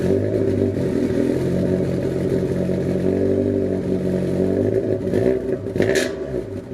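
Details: Honda Civic EF project car, first start after trailing arm and bushing work with battery refitted: steady low engine drone with a brief rise in revs near the end, no knocking or misfire; runs fine.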